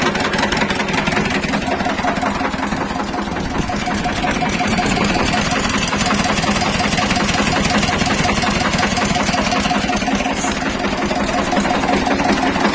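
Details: Shifeng SF 138-2 single-cylinder diesel after a thin (about 1 mm) shim, cut from a canister, was placed under the fuel injection pump: even idle thumping about three beats a second, soft and steady, no sharp knock; now runs smoothly.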